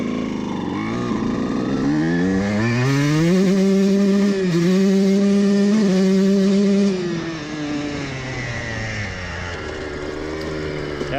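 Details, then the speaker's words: Two-stroke CR125 at full RPM with a main jet two sizes larger: revs climb and hold with a ragged, burbling edge and brief stumbles at the top, not clearing fully; main jet slightly too rich. "certainement entendre un peu un peu d'araignée au sommet où c'est comme découpes ce n'est pas complètement lisse, nous sommes ce n'est pas dégager 100% du chemin donc 1/8 trop riche"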